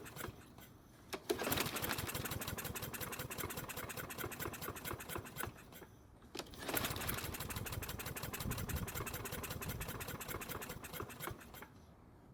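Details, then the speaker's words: Troy-Bilt mower that won't start, tried with the air filter removed: two short bursts of sputtering firing, each dying after a few seconds; it catches briefly but won't keep running. "so without the filter on it at least tried to start"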